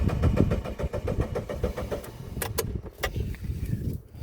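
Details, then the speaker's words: 1999 Mitsubishi Pajero iO (Pinin) 4x4 cranking after sitting with 13 L fresh fuel: even churning crank that never fires; no fuel delivery, no fuel pump prime heard at key-on, owner suspects failed high-pressure fuel pump. "I actually bought a fuel pump for this car because I don't hear the fuel pump priming when I turn the key on normally"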